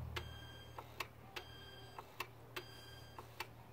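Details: Crisp light clicks about once a second over faint hum on a Great Wall V200 under the bonnet while running a test with a DS150E diagnostic scan tool; actuator, possibly the EGR valve, switching on command normally.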